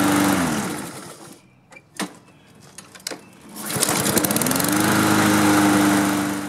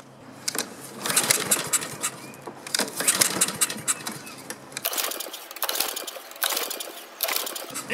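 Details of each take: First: Husqvarna self-propelled mower with Honda engine, after the no-spark fix, new air filter and fuel turned back on: a few quiet clicks, then it fires and settles into a steady, even buzzing run with no misses or surging. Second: Honda-engined Husqvarna self-propelled mower recoil cranking after fuel shutoff opened and starting fluid tried, dirty air filter; rattly spins with no firing at all. No spark.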